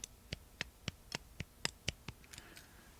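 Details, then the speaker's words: Cheap iGauging height gauge: light sharp clicks about four a second as the slide moves, slight play knocking in the gib, about the same looseness as a new Mitutoyo; mild, normal slide rattle. "as a comparison, pretty much the same amount of clickety-clackedness."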